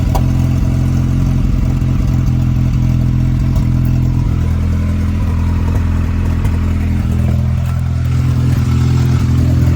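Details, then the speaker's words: Ford Ranger 2.0 EcoBoost first start with a new high pressure fuel pump and a ground reconnected, no coolant, downpipe or O2 sensors: low, uneven running with stumbles, breaking up before evening out. "It ran, I just cut it off. It was just kind of breaking up there for a minute, and then it cleared up right toward the end."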